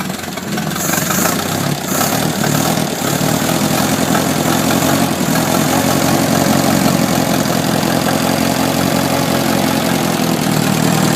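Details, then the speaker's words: 1972 Atomic 4 marine gasoline engine, ~1,000 hours, temporary fuel pump: steady, even low idle with smooth unbroken beat, no knocking or bearing rumble, 40 psi oil pressure; normal idle. "That even at a low idle, you're running 40 pounds of oil pressure on this."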